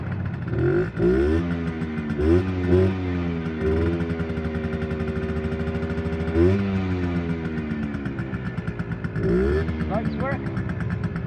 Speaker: So I'll fire it up. I just turned the fuel on. Won't need no choke because I fired it up a minute ago.